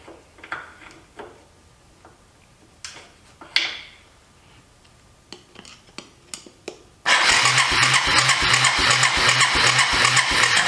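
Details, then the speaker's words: Yamaha 250cc ATV sat for years: a few quiet clicks, then steady cranking near three turns a second that never catches; cranks, no start, spark very weak even with another plug, owner suspects a grounding issue. "it's so weak it I can barely see it for some reason it's got weak far it could be a uh grounding issue somewhere on it"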